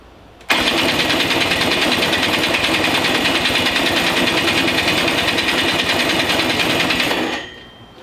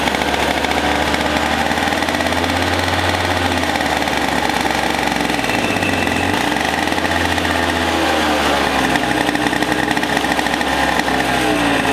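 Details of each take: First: Possibly 100cc two-stroke racing go-kart engine, unused for years, with a rebuilt starter. It spins with a fast, steady buzz but never catches. The starter turns it too slowly to make a spark; spinning it with a drill gave a strong spark. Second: Two-stroke racing go-kart engine, displacement unknown (60, 85 or 100cc), unused for years, running after a starter rebuild and spark and fuel troubleshooting. Steady buzz dips and rises with throttle blips, no misses or knocks: normal running and revving.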